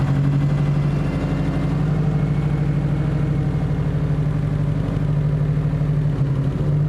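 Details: Subaru WRX STI with header wrap and a new AEM fuel pump, idling just after the first start following oil cooler hose replacement for a coolant leak and a coolant refill: steady, even, smooth rumble with no knocks, misses or hunting.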